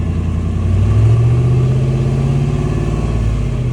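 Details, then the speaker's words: Carb-swapped 1991 Ford F250 351W V8 after fuel system install: deep, throaty rumble climbing smoothly with revs and settling, no knocks or misses; sounds good, normal revving. "she sounds good, you know."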